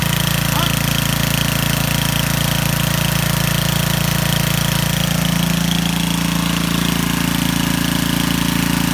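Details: Trash-find Homelite 8hp 4400-watt generator after repair, powering a light: steady low engine drone with even thumping pulse, slightly uneven; generator running.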